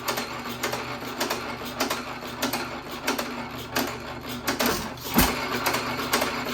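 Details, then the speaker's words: 1917 Economy hit-and-miss engine with old piston refitted, set to run as slow as possible (about 180-200 rpm low end, 250 high): slow uneven firing with long gaps, flywheels nearly standstill, just about stalling. "Just about a stall. You can tell it's almost a stall when the flywheels come almost to a standstill."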